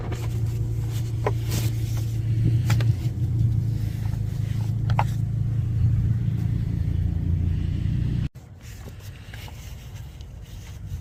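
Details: 2008 BMW 335i: a low, uneven idle with a loose, lumpy beat about three per second, then it cuts out; rough idle, timing solenoid suspected, cause unconfirmed.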